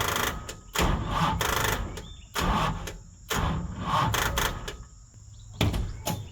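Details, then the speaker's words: 1970 Charger 640hp Mopar stroker after long sitting, no fuel in carbs: short, sluggish cranking bursts that cut out without catching; starter dragging on a flat battery. "It was about at this point when I realized to myself, Jed, you should probably just get a good battery."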